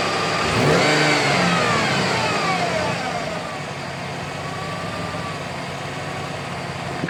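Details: 2007 GMC truck: constant whine from the lower front of the engine, rising with a quick rev then holding a steady high tone at idle; owner suspects water pump, tensioner or harmonic balancer, source unconfirmed.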